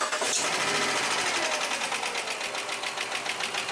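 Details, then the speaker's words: 2006 Jeep Commander 5.7 Hemi at idle and a slight rev; a fast, crisp ticking of three or four clicks a second from the top end, not the bottom end. Lifter tick, the lifters are to be replaced. "yeah that's definitely a lift that's it"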